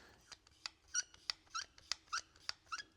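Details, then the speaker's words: OBS Ford pickup upper door hinge with cheap aftermarket circlip-type pin, swung by hand off the truck: short sharp metallic squeaks about three a second. Door hinge squeak from poor pin metal. "so hear it squeaking. Okay, that's because these metals that they use are junk. So, these are your cheapest pins you could probably buy."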